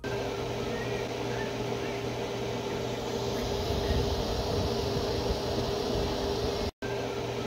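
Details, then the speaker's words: CyberPower PC gaming desktop after one month of use, generic power supply with a rear-facing exhaust fan and the case running hot: constant loud rushing air like a vacuum cleaner with a faint hum; loud power supply fan. "and did you guys hear that that sounds like a vacuum cleaner"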